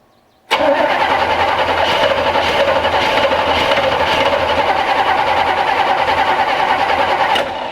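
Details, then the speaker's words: 1965 Chevrolet C10 cranking steadily about seven seconds without catching while running off a temporary fuel tank; still not pumping fuel, taking a while to prime. "Thing's still not pumping fuel. It's just taking a while to prime it."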